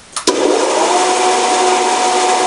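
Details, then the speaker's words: Wallace 16-inch band saw, about 1929, with its original direct-mounted GE motor (about 1/2 hp, single-phase 110 V, believed repulsion-start induction-run) and oil-filled gear drive: a steady, fairly loud whirring hum; the noise is suspected to come from the blade guides. "I know that uh if we take the blade off this is much quieter so I'm thinking that most of the noise is coming from the guides"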